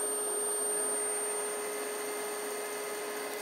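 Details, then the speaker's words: DIY-kit AC inverter driving an AC induction motor/generator, throttle via foot pedal, spun up to maximum rpm: smooth steady electric whine, clean even tone, no grinding or clicks; motor spinning freely and healthy. "can hear it spin up see it spin up a little bit so right now it's going maximum rpm"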